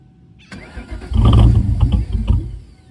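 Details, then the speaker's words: SN95 engine started after battery reinstall, running a Seafoam fuel treatment: cranks and settles into a slightly lumpy, uneven idle with a faint stumble. Still rough but better than before and starts easier; owner hopes Seafoam is cleaning the injectors, cause unconfirmed. "It is idling a little rough still, but it's better than it was the other day. And it started up a lot easier, so that's good news."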